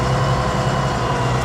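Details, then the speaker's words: Case Maxxum 5140 tractor for sale, running; steady deep diesel rumble with an even low beat, no knocks or rattles, though owner notes a shaft seal leak. Normal running. "And to be fair, I didn't realise it had a leak on the shaft seal. But it sounds lovely."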